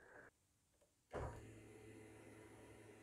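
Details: 2003 Opel Corsa C fuel pump, run by jumping the relay terminals with a fuel pressure gauge connected: click, then steady low hum with faint whine, even throughout; pressure rises fast and holds, pump normal.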